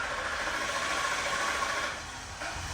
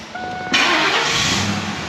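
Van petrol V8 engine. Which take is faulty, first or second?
first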